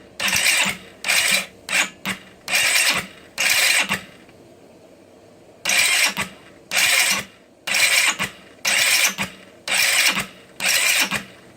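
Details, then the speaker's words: GY6 scooter after adjusting the 46-link timing chain and the valves, with starter fluid sprayed in, spark present and the battery getting low. Starter whirs in repeated one-second bursts, the engine spinning freely but never firing; cranks but won't start. "Why is it not turning over? That's the question. This is probably the longest I've played around with cranking it."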